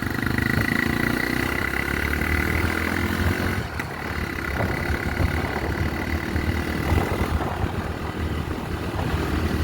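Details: Honda Tornado single-cylinder motorcycle after valve clearance set to 0.12 mm intake, 0.15 mm exhaust (previously too loose, sewing-machine noise): steady even note, no ticking; runs healthy, reaching 115 easily.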